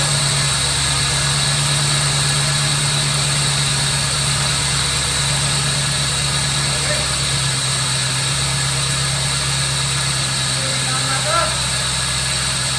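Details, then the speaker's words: 1985 Chevrolet Corvette C4, sat about 2–2.5 years, running on starting fluid sprayed into the throttle body with the air intake removed: a steady low idle with a faint uneven pulse and fan hiss. It runs rough but not bad, with a massive air leak up front. "it sounds not that bad besides the massive air leak up fro"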